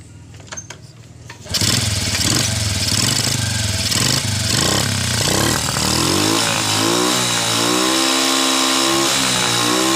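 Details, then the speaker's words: Honda Revo motorcycle after cleaning the clogged carburetor jet and refitting the carburetor: catches after a few cranks, holds a steady idle and revs up and down cleanly without bogging; some white smoke reported at high throttle. "jadi teman-teman masalah motor ini terdapat pada karburator tidak ada supplier catnya terjadi penyumbatan terdapat kotoran maka terjadi penyumbatan pada jet pada karburator"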